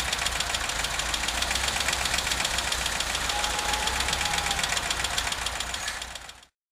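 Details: VW Vanagon T3 at idle: steady idle with a sharp, fairly even tick-knock about three or four times a second over the engine hum; it shows strange smoke when cold and the source is not pinned down.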